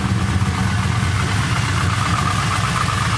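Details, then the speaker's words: Engine at cold idle after new TPS and spark plugs: loose uneven rattle over low idle with no steady beat, fading after a couple of minutes of warm-up; cold-start piston slap. "just rattling around [Music] it goes away once it warms up for just a little moment that rattle's gone"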